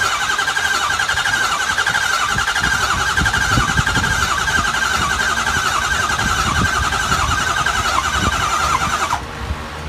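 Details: 2003 Ford 6.0L diesel with replaced high-pressure oil pump, IPR and FICM checked OK: long uneven cranking churn with no catch and no rise into a running beat. Crank, no start.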